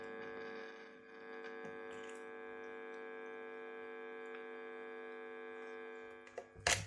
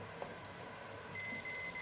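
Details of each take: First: Kit-built Telecaster through amp: steady bright electrical buzz with no notes coming through; capacitor touching jack pin ruled out, cause is a ground wire not connected, leaving the bridge ungrounded. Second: Kit-built Telecaster guitar that buzzed from a grounding fault, after re-soldering: a quiet room, then a steady high continuity-tester beep confirming the bridge is grounded.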